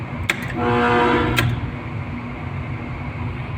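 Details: York AHU motor with defective soft starter: a click, then a loud steady buzzing hum for about a second from a stalled motor missing one phase.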